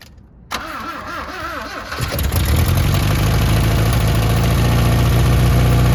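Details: 1972 Toyota Celica with a swapped-in used 18RC engine and Weber 32/36 carb, first start in 20 years: exhaust not fully fitted and timing suspected slightly off. Cranks, catches, very smoky rough idle with a puffing pulse; exhaust leak.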